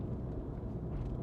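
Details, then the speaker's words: Airlift Performance air suspension pillowball strut-top bearings, never replaced, owner thinks they have broken in; crawling speed, low even rolling rumble with no squeaks or creaks from the strut tops; quiet suspension. "um I think they've broken in and they don't make any sound now"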